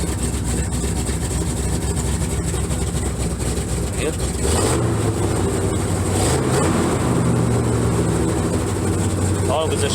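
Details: First-gen Dodge Dakota after Holley 450LPH 12-321 fuel pump install, old tune so expected to run rich, in neutral: catches and settles into steady low idle, quick throttle blips respond cleanly; runs even.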